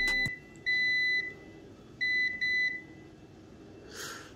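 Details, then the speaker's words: Drone flight controller board checked with a continuity meter before connecting the battery: short high beeps that quickly stop as the capacitors charge, with no steady tone; normal brief continuity beep, no dead short. "c'est normal le court circuit vous avez entendu ce n'est pas un tour circuit francs c'est normal c'est les condensateurs"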